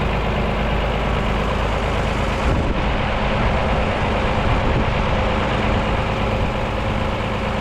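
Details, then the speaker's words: Mercedes OM366A turbo diesel (170 hp) driving after its fuel pump was rebuilt with new plunger pairs; the worn, unbalanced pump used to clatter slightly, but now it runs evenly. Deep, steady rumble with no surging; normal running. "щас воно все вирівнялось все воно роби все воно чотко"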